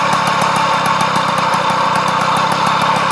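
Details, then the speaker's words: 1989 Magnum Racing two-stroke moped idling with a quick, steady beat and a rough, rattly grind underneath, from worn crankshaft bearings. "alors on va entendre le bruit des roulement et tout le bordel"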